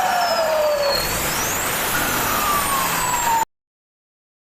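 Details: Mitsubishi 6D16 diesel with turbo fitted: high whistle sweeping up and down with revs over loud diesel roar, then cut off abruptly; healthy singing turbo, normal.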